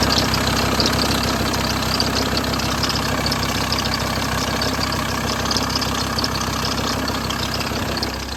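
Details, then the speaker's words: VW T4 diesel started after sitting outside 3–4 months: fast, uneven flapping chatter over idle as the aux belt visibly slaps; owner suspects the rust-corroded top tensioner is seized (or worn crank pulley), before parts swap. "so as you can hear there's loads of noise coming from that belt you can literally see in the video it's slapping about so I think the tensioner at the top of the engine there I think that's the problem"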